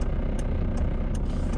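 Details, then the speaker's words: Car at idle, inside cabin: faint sharp plastic tick about every 0.4 seconds over low rumble, a loose dashboard plastic piece rattling against the phone mount; usually goes away once driving. "this thing rattles you guys my dashboard will rattle up against my phone it's like a little plastic piece right here and it rattles and I hear it"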